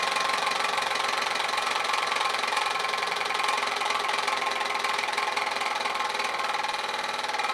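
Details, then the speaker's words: Old Kwik Kool oscillating fan after reassembly with its housing; it was quieter at first. Steady whirring with a fast rattling tick as the fan starts fast, then slows down; owner suspects the motor is failing. Cause not confirmed. "yeah i started up fast now it's slowing down i think probably the motor's"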